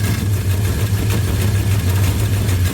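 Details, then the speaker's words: Dodge 360 Magnum V8 freshly installed in a Coronet, first start warming up, thermostat housing leaking: deep idle with rhythmic low thudding knock each rotation, fading when pressed by hand; flex plate bolt not tightened down. "y hear that knocking that don't sound good watch my magic fingers here kind of goes away the flex plate Club is not tighten down thing's loud you can hear it"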